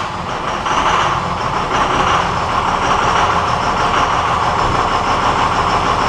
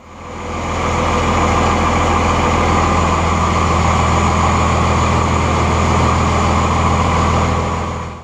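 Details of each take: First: 1999 Cummins 24-valve diesel with a hard, long start and heavy white smoke, started on a battery charger. The diesel rumble builds as it catches, then holds an even, steady idle without stumbling or knocking; normal start. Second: 1999 Cummins 24-valve diesel with hard, long starts and heavy white smoke, about half the injector lines cracked: even starter churning about 3.5 beats a second for eight seconds without firing; failing injection pump causing long crank.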